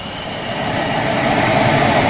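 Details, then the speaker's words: 2005 Dodge Ram 2500 during single- to dual-zone climate control conversion. Fan whoosh building with a thin steady whistle over it, air escaping near the blower; owner thought it was the fan, cured by adjusting and retightening. "Now what does concern me here is the whistling I'm hearing. But I think it's the fan."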